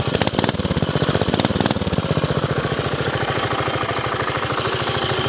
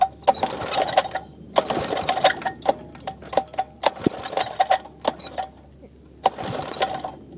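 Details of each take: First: 5hp minibike single with a homemade welded exhaust, baffle and slight leak. Loud, sharp, even pops about ten a second settle to a steady idle. Finding: normal running, fairly loud. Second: 5hp minibike single with a homemade welded exhaust using a flat-washer baffle and a slight leak. Four recoil pulls rattle with no firing, and it doesn't want to go; it sometimes needs a little gas. Finding: hard starting.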